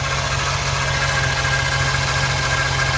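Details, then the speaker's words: 2009 Chevy Silverado at idle, power steering already bled and tested, whine first blamed on the power steering pump: thin, steady high-pitched whine of constant pitch over an even idle. "you hear that whining down and it was trying to play me for being the power steering pump"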